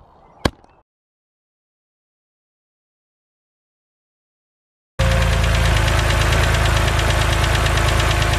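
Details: BMW 130i with N52 engine at idle: fast, even light ticking over the engine hum, the well-known N52 hydraulic lifter tick, said to be harmless but annoying.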